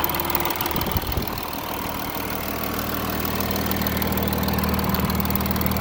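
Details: Audi A6 3.0 TDI 272 PS, recorded well warmed up after about 100 km of motorway driving: steady low diesel drone with a light regular rattle about three times a second; camshaft and chain tensioner damage suspected.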